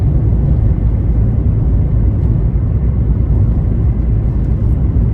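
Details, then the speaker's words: 1989 Honda Civic EF sedan on its first drive: deep, steady low exhaust rumble while cruising, no rattles, leaks or drone; exhaust sounds normal and fairly quiet. "It's pretty quiet so far, which is nice."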